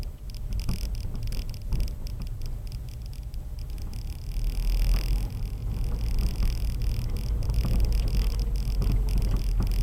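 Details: 2016 Subaru WRX Premium while driving: irregular dull clunks and knocks from the front suspension over steady road rumble. Cause unknown.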